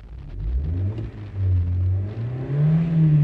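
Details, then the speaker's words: 2007 Honda Jazz idling in neutral with the clutch pedal pressed: smooth, low hum rising cleanly with revs and no whine or rattle; a shaky mechanical noise returns when the clutch is released, pointing to a clutch or gearbox issue. "so this is uh behind the jazz from 2007 and uh there's an issue with the clutch just listen when i push the pedal the sounds disappear the engine is"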